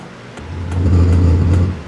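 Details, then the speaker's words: Hcalory HC-A04 5-8 kW portable diesel air heater with ceramic ignition, starting up: low rumble swells as the burner catches and settles into an even roar, exhaust pipe warming; normal diesel heater ignition. "There, I can hear the fuel pump, and I just heard it combust inside. Very interesting. I can hear it starting."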